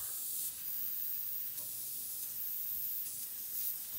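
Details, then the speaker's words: American Standard TEM6042 air handler, evaporator coil replaced about a month earlier: steady thin hiss of refrigerant escaping from a factory bad solder joint with a visible gap on the coil. "The Evap was changed about a month ago. And if you can hear that, right there. It's a bad solder joint from the factory."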